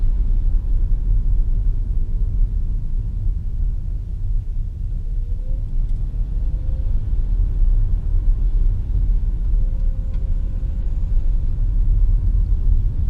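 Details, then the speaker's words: 2015 Nissan Leaf on a wet muddy road test in regen mode after lubricating the drive shaft splines and securing the loose hub nut; steady road rumble through gentle acceleration and deceleration, front axle click gone. "i hope you can tell that it's not doing what it was doing before in terms of that click as we were accelerating and decelerating"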